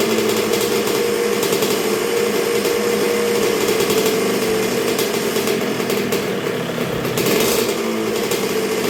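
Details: 1986 Honda CR125R two-stroke, new .060-over Wiseco top end, break-in heat cycle while setting idle, getting pretty warm: steady, even idle with crisp high buzz, no surging or misfiring; healthy.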